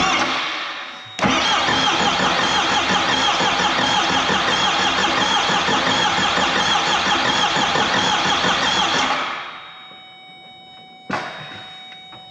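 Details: Ford Bronco with 4BT Cummins first start, injector lines cracked to bleed: steady starter cranking about three turns a second for eight seconds with no firing, fuel only just squirting from injectors; air in fuel system.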